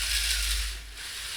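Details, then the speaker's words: Robot drive wheel with a plastic gearbox, wheel held by a finger: the motor keeps whirring with rapid plastic ratcheting clicks. Teeth are not fully stripped but skip under load. Gear teeth skipping. "And I can when I when I put my finger here and it stop spinning, I can feel the motor is still spinning. So, uh yeah, trying to understand how that happens. It's almost like there's a clutch that slips."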